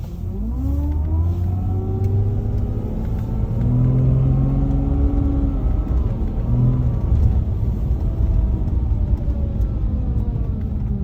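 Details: Car pulling and lifting off with a tone rising and falling with road speed over engine drone, like an angle grinder, can be louder than the exhaust and heard outside; drivetrain whine on acceleration and deceleration.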